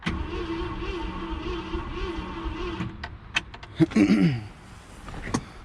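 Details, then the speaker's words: 1966 Ford Galaxie, 352 V8 four-barrel, first start attempt after 26 years, gas poured down carburetor, points sanded: uneven churning crank then clunks, never fires; no spark suspected, coil suspected bad. "so yeah I'm gonna troubleshoot this pretty sure we don't have spark"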